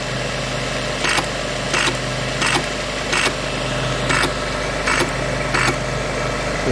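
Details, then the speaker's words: Old wartime teleprinter being restored, motor powered up in idle (mark) state: steady mechanical hum with crisp clack about every 0.7 seconds, even and unhurried; now idling correctly. "and now it's idling correctly and we'll try it with the other one"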